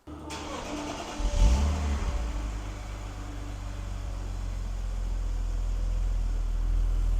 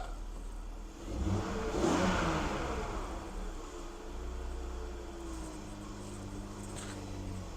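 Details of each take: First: BMW E46 330i on a cold start: the idle rises and falls in slow, uneven lopes; unplugging the mass airflow sensor makes no change. Loping idle; the idle air control valve is to be cleaned. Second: BMW E46 330i, mic near engine: quick rev blip settling back to steady, even idle with no knocks or misses, exhaust not smoking; normal revving, though power steering pump is noisy and may need fluid.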